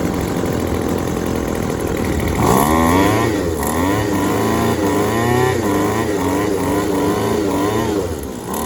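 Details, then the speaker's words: Yardworks 25cc two-stroke trimmer after fitting a new replacement carburetor, cutting head reinstalled for load during adjustment: steady buzz picking up cleanly through throttle blips, no stumbling or popping; running pretty good now, normal running. "It's running pretty good now"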